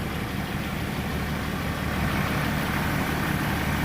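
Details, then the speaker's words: Range Rover Sport diesel after replacing the leaking water pump and the injector leak-off O-rings: an even idle at about three beats a second, smooth and steady with no misses or knocks. Healthy idle. "the good news it runs like a watch"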